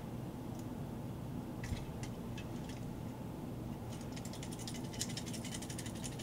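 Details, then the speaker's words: Kenmore refrigerator (model 10653632300) not cooling, compressor not running: removed overload/start relay (part 4387835) shaken with nothing running, loose broken pieces rattling inside; the relay needs replacing. "when you rattle it you can tell it's not supposed to sound like that you got a bunch of pieces of relay that are rattling around in there"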